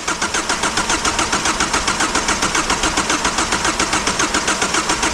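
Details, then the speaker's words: 2002 Kia Sportage that sat a long time with the top off, new battery: fuel pump kicks on when keyed, but the starter cranks steadily and evenly and the engine never catches; cranks fine, no start. "Okay, well, we can juice that and the fuel pump kicks on, but she still don't run."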